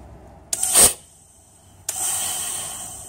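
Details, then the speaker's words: ZF 6HP26 automatic transmission (Ford Territory), clutch-pack air pressure test with the valve body removed: a sharp burst of air, then a steady hiss as the piston strokes and holds. It applies nicely with no leak. "i don't know if you can hear that but that one's applying nicely that's not leaking or anything"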